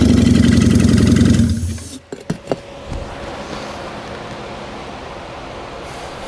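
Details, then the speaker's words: 1973 Honda CB350 Four on starting fluid, choked: fires and buzzes evenly for about 1.5 seconds then stumbles and dies; owner suspects dirty carburetor jets needing cleaning; runs briefly then dies. "don't know about you guys but that sounded like a running motorcycle it sounds like it needs a carb clean but that sounded like a running motorcycle"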